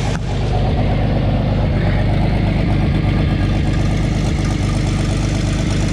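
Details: 1986 GMC S15 Sonoma Sierra Classic pickup idling, not yet fully warm: a steady low idle with a quick, uneven puffing tick about three times a second. The owner knows where the massive exhaust leaks are; the sound suggests leaking at the manifold.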